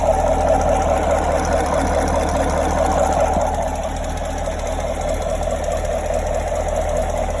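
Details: 2017 Chevrolet Camaro 6.2L V8, about 20,000 km, stock, warm idle: light, fairly regular ticking about twice a second, only when fully warm, from the rear driver's side, loudest from below near the oil filter/pump; cause unknown.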